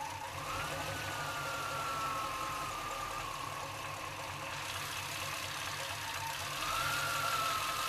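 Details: Chevrolet C-1500 Scottsdale 350 TBI V8 with a low, uneven, slightly loping idle and a wavering whistle; it sometimes idles so low it dies, and the cause is still unknown after many attempted fixes.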